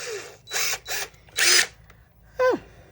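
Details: Old, worn brushed DeWalt DCF885 impact driver: short bursts of high buzzing motor, several trigger pulls, even and free of grinding; runs normally.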